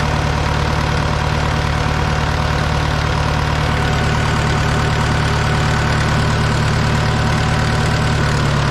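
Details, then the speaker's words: Caterpillar 955L track loader diesel, sat unused for years, just started on old fuel: steady, even low rumble about four firing pulses a second, no misses or knocks; ran really well; normal idle. "it ran really well I made it up on the old diesel fuel this thing has been sitting here for a while"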